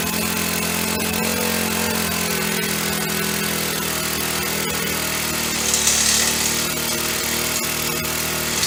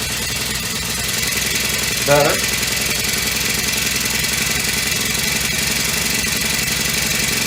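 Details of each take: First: Honda FG100 four-stroke mini tiller, freshly reassembled after repair (it previously had no valve), started on choke: revving high and buzzy with an irregular, hunting note; it runs rough and won't idle by itself. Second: Honda FG100 four-stroke mini tiller after valve repair, idle turned up, choke off: single-cylinder engine runs at a steady, even pace with no knocking or surging, much quieter than before the repair.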